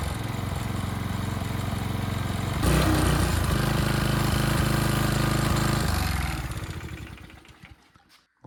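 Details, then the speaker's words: Early-to-mid-2000s Craftsman brush mower after 3 years sitting, carburetor cleaned, oil not yet changed: starts and holds an even, steady chug for a few seconds before winding down; runs cleanly, no miss. "that's perfect runs great what more can he ask for"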